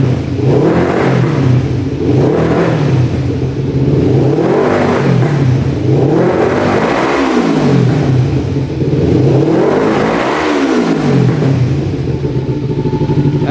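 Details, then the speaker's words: 1988 Kawasaki Ninja EX500 twin, fuel issue fixed by bypassing failed vacuum petcock line, idling right at 1500 rpm; revs rise and fall cleanly about every two seconds, crisp, no stumble or hesitation; normal revving. "so that's a lot better now so we just bypass that uh vacuum line going into the car plug that off now it's idling perfectly right at 1500 that sounds so much better"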